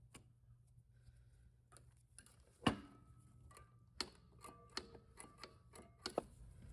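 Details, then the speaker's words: Rebuilt 4EAT valve body from a 2004 Subaru Forester being reassembled: each spool valve gives a crisp separate metallic click as it snaps back under spring tension, moving freely with nothing sticking or dragging. "But each of these valves you could kind of check to make sure they're moving freely. You hear they're all snapping back against spring tension."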